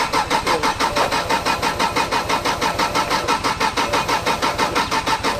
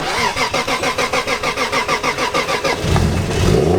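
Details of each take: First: Drift car with its ECU unplugged: starter cranks steadily at about three turns a second but the engine never fires; the fuel pump is turning on and off. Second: Drift car on a cold morning, ECU plugged back in after being unplugged overnight against theft: quick, even cranking for about three seconds, then it catches and idles; coolant reads -1°C and it reluctantly idles cold.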